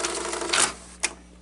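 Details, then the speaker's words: Sanyo Beta VCR (Betacord) rewinding a tape: harsh, scratchy whirring, then a sharp clunk as it stops; abnormal rewind noise, and the owner suspects the tires (idler rollers) but is unsure whether it is normal. "i need to take a look at the tires too because that just sounds weird like why is it making that noise"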